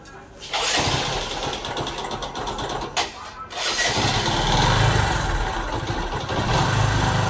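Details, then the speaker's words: Bajaj Discover ST 4V motorcycle engine after a tappet (valve clearance) adjustment to cure its loud tick-tick noise: it cranks, catches, stumbles once, then idles evenly with only a faint light tick left. The noise is much reduced; normal idle. "तो guys आवाज काफी हद तक अच्छी हो गई है बिल्कुल जो इतनी ज्यादा आवाज आ रही थी आवाज बिल्कुल कम हो गई है"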